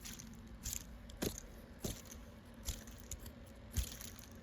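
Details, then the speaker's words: VW Touareg TDI belt idler pulley spun by hand during belt and harmonic balancer job: rough, gritty crunch with uneven clicks; worn-out idler bearing, while the new replacement pulley spins silently. "So that one's shot. So here's our new one. No noise."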